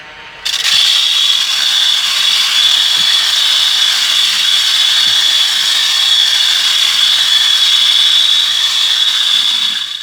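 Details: USB rechargeable desktop vacuum at high speed sucking up grains of rice; harsh, high-pitched rattling grind over the motor whir as the fan impeller strikes and chews up the debris.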